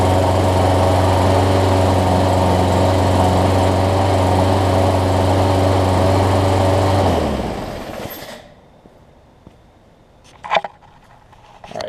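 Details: Brand-new Murray big-wheel push mower with a Briggs 300-550e series OHV single-cylinder engine, running after the head gasket was replaced. It runs smooth and even at a steady pitch for seven seconds, then winds down cleanly. It is healthy now.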